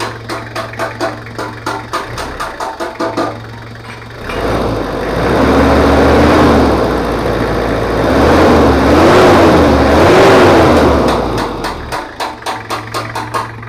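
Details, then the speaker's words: Toyota Kijang 2L diesel after full engine overhaul for low compression and abnormal noise, stock exhaust, first test run: steady, even diesel clatter at idle with no misses or knocks under passing music; smooth, healthy engine. "suaranya Udah halus ini adalah suaranya jadi suaranya itu knalpot standart"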